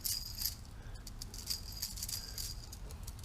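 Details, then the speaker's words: South Bend 8x18 lathe, Chinese-made front spindle bearing removed and spun by hand: dry gritty rattle and fine metallic hiss, uneven rather than smooth; rough rollers suspected, to be replaced. Rough spindle bearing. "doesn't feel exceptionally bad but you certainly could hear it I got to put out a magnifier and look at the rollers but it don't it doesn't sound too sweet that's for sure"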